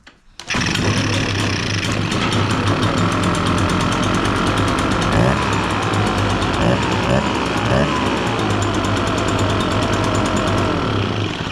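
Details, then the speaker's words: Echo PB-580T backpack blower, brought in running rough and not revving, started after repair with choke, purged primer, low idle: fires on first pull and settles into a fast, even two-stroke buzz without sputtering; starting and running properly. "We got it at a low idle. We got it purged. Give it a choke."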